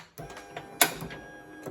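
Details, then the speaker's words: 2004 Toyota 4Runner door locks after rear latch switch replacement and ECU-B fuse reset: three crisp actuator clunks about half a second apart as locks cycle; normal power door lock operation. "When I close this you hear the motor works I push the button oh my gosh now it's working again"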